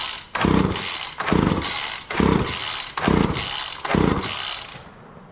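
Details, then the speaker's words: Walk-behind wheeled string trimmer, non-running, after carb spray with choke on: five quick recoil pulls about a second apart, each a rough churn that never catches; cranks but won't start, owner suspects flooded or fouled plug after cranking with plug wire off. "I probably fouled the plug at this point. Let's try more. I think I flooded it out because I didn't have the plug wire on."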